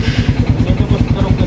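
Steady rapid knocking, about ten hits a second, rides over the engine's beat at idle; a worn connecting rod is knocking.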